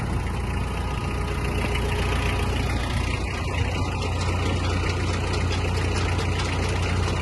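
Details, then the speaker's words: Mitsubishi MT-246 Japanese mini tractor, 1400 kg, rotary tiller lowered, PTO engaged in fourth speed: low even diesel rumble at constant speed, no knocks, rattles or surging; tiller runs quietly and stably, normal operation. "Ось так фреза працює тихо і стабільно"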